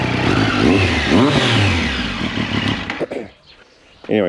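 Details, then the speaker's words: 2023/2024 Triumph Street Triple 765 RS three-cylinder with newly fitted Spark headers and Akrapovic can, first start without assembly paste on joints: blips and settles with sharp puffing chuff at header joints each rev; exhaust leak at header joints. "yeah it's definitely blowing you can hear it"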